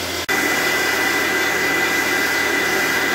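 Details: Valve grinder used on Fordson E27N Major tractor engine valves, its electric motor and pump section, pump suspected of sucking air before a seal change: steady, even motor whir with faint high tone, no surging or sputtering; normal running.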